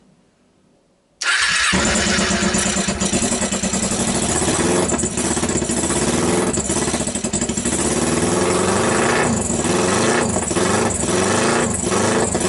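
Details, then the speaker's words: 2012 Kawasaki Ninja twin on a single PZ30 clone carb, homemade copper manifold, thumb throttle, choke on, first start. Rough idle, revs lag behind each throttle blip, cause unconfirmed: throttle hesitation. "it had a tendency I would give a gas and it would lag it would an instantly respond"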